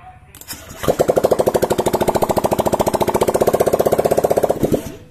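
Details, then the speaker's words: Honda Vario 125 FI scooter, previously running rough, after repair and reassembly with no exhaust fitted: catches quickly, loud even pulses about three a second, check light off; runs smoothly, sound now smooth. "Oke sudah nyala ya sempurna dan suaranya sudah halus seperti itu ya teman-teman"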